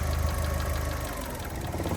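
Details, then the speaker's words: 2008 Fiat 500 1.2 petrol, 25,000 miles, after a part swap retest: idle low rumble sags then picks back up, hunting idle persists; suspected intake air leak, throttle body next suspect, ordered. "Still does it. That's a shame. I really did think that was going to do it. So onto the throttle body."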